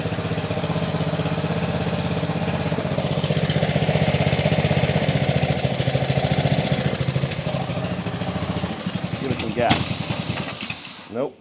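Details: Trash-picked Ryobi 3100 psi pressure washer from 2018, Honda GCV190 engine, second start after fuel leak check, warming up: single-cylinder putter with uneven, lumpy firing that surges and sags, not yet settled; rough running.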